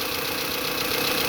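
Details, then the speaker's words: 1992 Honda Accord, previously idling too high (2,000 rpm cold, 1,500 warm), after replacing PCV valve and idle air control valve and taping a torn hose: brief even idle with steady hiss, no racing or hunting; normal idle restored. "And now it's running back to normal."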